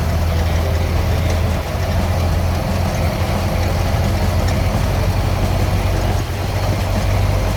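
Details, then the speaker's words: 1929 Ford Model A just after carburetor and distributor rebuild: low idle with a slightly uneven, loping beat; owner suspects a timing issue from shaft play in the distributor, unconfirmed; rough idle. "just rebuilt the distributor and the carburetor it does seem like there is a little bit of timing issue I do believe that's actually because I do have some shaft play in the distributor"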